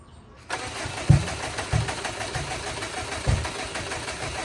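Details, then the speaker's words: Subaru Bugeye, custom tune swapped back to an off-the-shelf Cobb base map, cranks steadily with uneven coughs but won't catch, closer than before; firing order or reversed coil packs suspected, unconfirmed. "It's getting closer. That was a lot closer than before."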